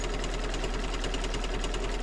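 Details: Embroidery machine stitching a star quilt block on an 8x8 hoop: steady rapid thump with every stitch, heavier and louder than a smooth run. The owner listens for problems and expects it may work itself out.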